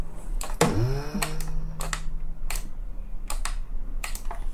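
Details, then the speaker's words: Dyson V10 cordless vacuum with fully charged battery, battery and motor already replaced; a few sharp clicks, then a low hum for about two seconds that fades without the motor spinning up; owner suspects replacement motor is faulty: motor hums but won't run. "boom like the battery is fully charged and it is doing this annoying noise but not working and I pretty replaced everything a battery the motor maybe the motor they sold me is problematic"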